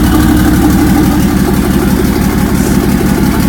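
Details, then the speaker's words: Datsun 260Z with L28ET engine, first start-up, slow to start: strong, steady low idle pulsing evenly about three beats a second, no knock or stumble, with oil pressure, fuel pressure and vacuum present; normal healthy idle. "actually doing a lot better than I expected I expected it to run like [ __ ] W you think W started right up no it took a while but it started up"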